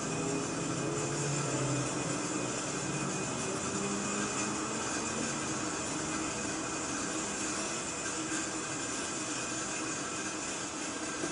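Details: Empty oxygen bottle filling from the 600 psi cascade cylinder, gauge needle moving, target rate 300–600 psi per minute: a steady, even rushing hiss without surging or sputter; normal oxygen flow during the fill.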